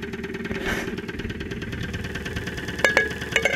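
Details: 2001 Saturn SL2 at idle, stethoscope microphone, after being run with very low oil; not run for two months, oil pressure about 35-40 psi at idle. Sharp tapping knock with louder bursts near the end; internal knock, cause unconfirmed.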